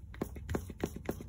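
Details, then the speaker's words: 2011 Buick LaCrosse CV axle rocked horizontally by hand: sharp distinct clicks, about three or four a second; worn CV joint, suspected after vehicle vibration with control arm bushings and tie rod already checked, axle then replaced. "i think it it actually is the axle because when i move it this way horizontally you'll hear a click click noise"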